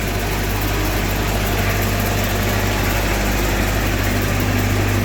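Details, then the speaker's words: Miller Big Blue 400 Eco Pro (400D) diesel welder engine, ex-rental with just over 2,000 hours, bought at auction; deep, steady idle with even low rumble, no knocks or misses; runs smooth, welds great: normal idle. "These aren't very well-known machines, but it's a monster. I love it. Runs smooth, welds great."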